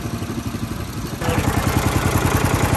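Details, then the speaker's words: Homemade go-kart with Honda GX390 single-cylinder engine: even quick thumping that picks up slightly and holds steady, no misses or rattles; motor sounds good, normal running. "motor sounds good boys"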